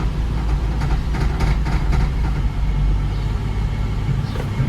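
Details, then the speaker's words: Jaguar XK8 (X100) converted to manual, rear on jack, running in drive: low engine drone with faint irregular knocks, absent in neutral; CV joint knocking against exhaust pipe. "Right, let's try drive and do so drive. That's neutral. It's not doing it in neutral. But only can hear that in drive."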